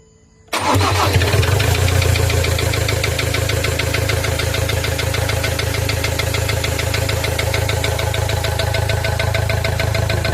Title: ford ranger 2.2 knocking sound